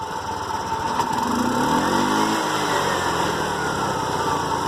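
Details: TVS King single-cylinder after air filter hose replacement: putters steadily, brief rev swells and falls back to even idle with no knocks or rattles; normal running.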